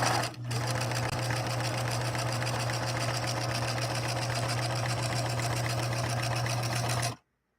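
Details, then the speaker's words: Singer 6233 sewing machine with 0.9 amp motor, running faster while sewing a wide zigzag: motor spins up to a steady, even low hum with rapid, regular needle ticking and no catching or grinding; healthy. "gave it a little bit more air to see if we can uh hear that motor kind of life a little bit more that 0.9 amp motor again like I said in the title it's got a bigger motor"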